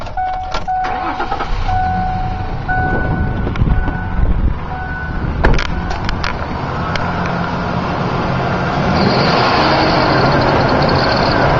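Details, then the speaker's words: 2000 Ford Ranger 3.0 V6 at idle with a sharp, steady, metallic squeal from the upper idler pulley, traced to its worn bolt and backing washer after an earlier pulley-only replacement didn't last. "all right you can hear that doesn't sound too good it's really annoying on the highway"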